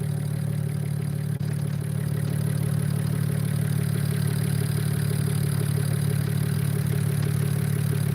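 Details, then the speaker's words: BMW E92 335i idling after a new valve cover gasket, spark plugs and coil packs: steady, even, smooth low hum with no misses, knocks or shaking; normal idle. "sounds good it's not uh it's not uh uh shaking or anything like that"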